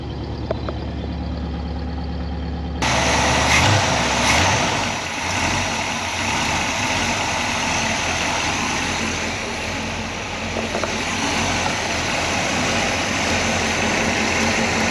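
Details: 1968 Pontiac Grand Prix big-block V8, off the road roughly 15 to 20 years, after revival with choke. Initially ticky lifters, then it settles into a smooth, quiet, even idle with no knocks. Oil pressure is good; the charging system still needs sorting.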